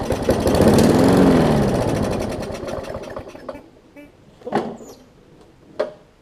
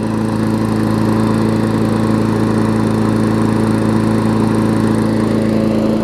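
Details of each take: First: Newer Murray push mower with a classic Briggs engine, oil leaked into the gas and water in the oil: fires and runs briefly at about four beats a second, then winds down and dies, oil-contaminated fuel starving it. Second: Newer Murray push mower, Briggs engine, after fixing oil in the gas and water in the oil, run about 15 minutes with leftover oil baking off: steady, even drone with no misses, surging or knocks; normal running.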